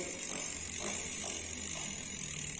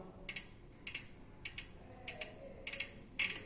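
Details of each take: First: Novatec D042SB rear hub, new on a customer's bike, freehub sticking: dry rhythmic internal scraping while pedalling, stopping at some positions; traced to a manufacturing defect. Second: Novatec D042SB rear hub spun back by hand after the freehub machining defect was fixed, no longer locking: short bursts of crisp, even ticking with no catching or grinding. The pawls sound healthy.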